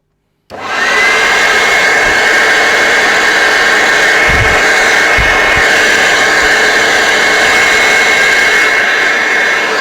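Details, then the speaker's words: Hoover Turbopower Freedom U2262 vacuum after refurbishment and cleaning, still wearing in: motor spins up quickly to a steady, even, high-pitched whine with no rattles or scraping; running healthy. "yeah that sound a bit better right so we know that it works"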